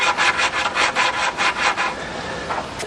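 Rhythmic gritty rasping strokes, about two or three a second, as the valve is spun back and forth on its seat with lapping compound.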